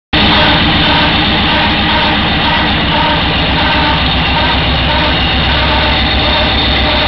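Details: Raider with a running engine: a steady high whine the dealership blamed on the starter clutch. The real cause was a burnt-out headlight leaving an open circuit that upset the charging system, and a new headlight stopped the whine; LED lights may also cause it.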